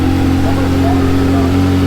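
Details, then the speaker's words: Flood-damaged manual Ferrari V8, just restarted after July 2025 flooding: strong steady drone with even pitch, no ticking, stumbling or grinding; running clean. "See, it sounds like it's running strong. Sounds good."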